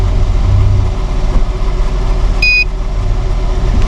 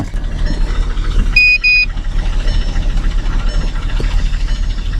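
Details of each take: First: Kia Sedona at auction, idling slightly high, OBD scan showing no errors: smooth, even low idle with steady hum and one short scanner beep, no strange noises; normal idle. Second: Kia Sedona bought cheap at auction, petrol engine idling with an uneven, lumpy pulse and a brief chime; engine light flashing, cylinder 3 misfire.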